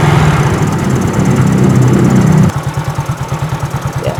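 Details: Fuel-injected motorcycle that won't idle steadily and whose rpm won't rise on throttle, during injector/intake cleaning with cleaner drawn in while running: raised revs for two seconds, then a drop to a lumpy, hesitant idle.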